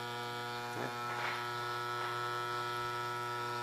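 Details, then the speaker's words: Electrolux Turbo Economia 8 kg washing machine after repair of a no-power fault: even, steady electrical hum while water is drawn in, no rattle or surging; the water inlet valve is working normally. "E como vocês podem ver, ela tá funcionando direitinho, certo? Tá puxando a água direitinho, né?"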